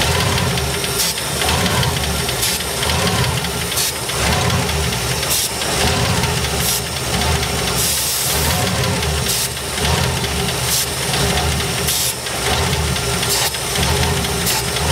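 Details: 1972 Ford F100, unrun over 10 years, 1408 carburetor overflowing with stuck floats: lumpy, uneven V8 idle with irregular stumbles about every second; rough running, needs a new carburetor.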